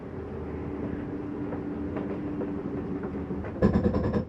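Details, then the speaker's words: 2020 Catalina 273BHSCK travel trailer slide-out retracting: a steady motor drone, then a half-second burst of quick clicks as the slide comes fully in. This is the mechanism's normal end-of-travel signal. "you hear that little noise that's just the mechanism saying uh don't bring be any further I'm inan all the way"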